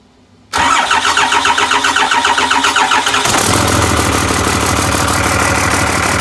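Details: Cummins diesel with VP44 pump, 199k miles, 2000 engine harness rewired to a 99 engine computer after a no-start, fired with a temporary intake fitted: short crank, then it catches cleanly and settles into a steady, even idle clatter with no misses; normal start.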